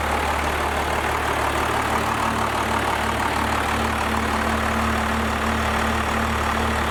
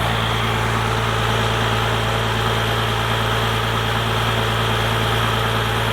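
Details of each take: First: First-gen Cummins diesel with 4-inch straight pipe, just after advancing injection pump timing: loud, steady idle with deep even beat and low drone, tone seemingly raised a tad after a couple seconds running. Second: First-gen Dodge Cummins diesel with 4-inch straight pipe, after advancing timing and raising the idle: deep, loud, even rumble, steady rhythm with no stumble or hunting; a healthy, settled idle.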